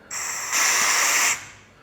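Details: Vevor 11000 lb (5-ton) shop air bag jack, red dump valve open: steady high-pitched hiss of air for about a second, louder midway, then it stops; the dump valve is venting air normally.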